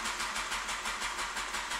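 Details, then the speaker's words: 2002 Honda CBR954RR cranks but won't fire: steady starter chugging at about five or six beats a second with no catch. Fuel pump primes only on direct voltage, BAS bypassed, click near fuses, FI light stays on. "I have a no - CBR 954 it'll crank over don't get no crime unless you put direct voltage to the fuel pump but even when that it still doesn't crank I mean turn over me it does crank but it won't look fire"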